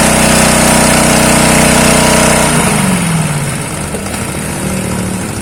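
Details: Honda GX160 engine driving a water pump, seized from long disuse and low compression, primed with water: steady, even hum at constant speed, then winds down smoothly; pump suction strong, running normally.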